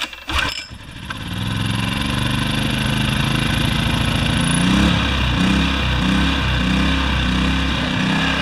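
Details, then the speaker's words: Yamaha generator with Mikuni carburetor, after carb cleaning and float/emulsion tube refit, before jets were reamed: pull-started small engine runs but its note keeps pulsing up and down instead of holding steady; surging from a remaining carburetor fault. "so what's going in is there's still a bit of a problem with this carburetor"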